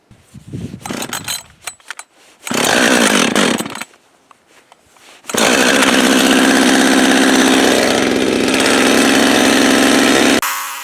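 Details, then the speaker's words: Husqvarna 562XP AutoTune chainsaw rebuilt with new crankshaft, long unused, running 30-40 seconds at part throttle so the computer self-tunes: after a few blips holds a clean, steady buzz without surging or stumbling; normal part-throttle running. "to tune it up and basically what we have to do is give it 30 or 40 seconds at part throttle to let the computer set itself for this particular weather condition"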